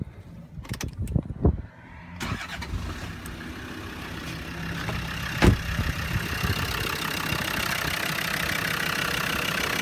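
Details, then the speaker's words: Land Rover Discovery Series 2 with TD5 diesel, after a crank-no-start complaint: a few knocks, cranks, catches near two seconds and settles into a steady, even idle; starts and runs normally. "So that's it there, you can hear it start, don't bother."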